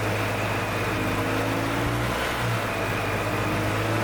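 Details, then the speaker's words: 1997 EZ-GO TXT gas golf cart, hard to start after sitting, after valve clearance adjustment with feeler gauge: small single-cylinder putters at a steady, even beat with a little throttle, no knocks, misses or smoke; engine sounds good. "That's actually a good sounding engine. That engine sounds good."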